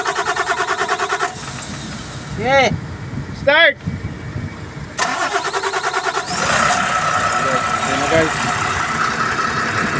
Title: ENGINE HARD STARTING (PUMUPUGAK-PUGAK ANG ANDAR)TADANO CRANE.PNR1